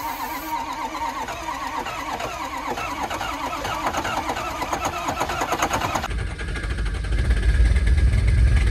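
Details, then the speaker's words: Ford Power Stroke diesel in freezing cold, hair dryer warming intake, no glow plugs, ether sprayed: steady cranking chug near four beats a second, then a sudden heavy pop as ether ignites in intake; engine nearly starts. "yep flip oh my gosh that was not good I hope that they could hear that cuz I was yelling when that happened but it just made a huge [Music] [Applause] pop"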